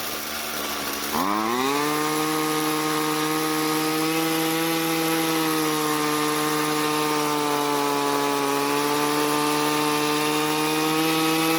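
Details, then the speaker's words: Jonsered two-stroke string trimmer, hot, after leaning the carburetor L screw clockwise under a quarter turn: catches instantly and settles into a steady, even high-pitched buzz with no stumbling; normal hot restart. "so well it definitely started up much easier but let's try that one more time just to make sure"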